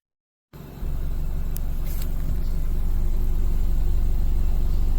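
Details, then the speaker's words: 2014 BMW 320i (N20) after replacing the stuck-open cylinder 4 fuel injector and the spark plugs and changing fuel-contaminated oil: engine catches and settles into a steady, even low drone with no stumble or missed beats. No more misfire. "Following the recent repairs, a test drive was conducted, confirming smooth engine operation. Furthermore, the engine is no longer experiencing misfires."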